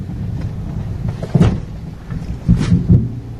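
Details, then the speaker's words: Mahindra XUV700 (issue also reported for Scorpio N) driving and over speed breakers: dull low thuds in clusters of two to three over road rumble from the suspension; unresolved after three dealer visits, cause not pinned down. "जहां उनकी कर में suspension setup से काफी noise ए रही थी चाहे गाड़ी चल रही हो या स्पीड ब्रेकर के ऊपर गुजरते वक्त"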